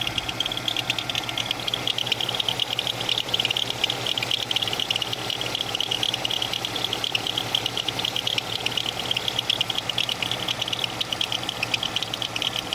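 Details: GM 3400 V6 engine running: fast, sharp, somewhat irregular ticking about twice a second from a bad/broken power steering pulley.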